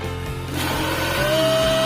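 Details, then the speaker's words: Philips blender after replacing the broken, burnt motor drive connector (blade previously would not turn), plugged in and switched on: steady hum building to a clean even whir, no grinding or stalling; runs normally. "try plugging it in, just turn it on, friends, it's already spinning, you have to don't jump or break."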